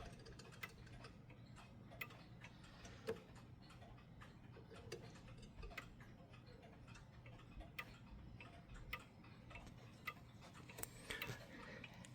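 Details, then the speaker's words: Mechanical clock brought back into beat after being set out of beat and adjusted side to side: soft, evenly spaced ticks with matching tick and tock intervals. "there we go. Now it's in beat as you hear."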